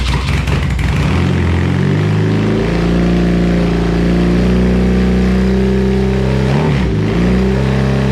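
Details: BMW R100 boxer twin, first start after full bottom-end rebuild (new crank, connecting rods, rings, seals, gaskets, head refresh), Bing carbs freshly refilled; fires up and settles into a steady, even run with a brief blip near the end; sounds healthy.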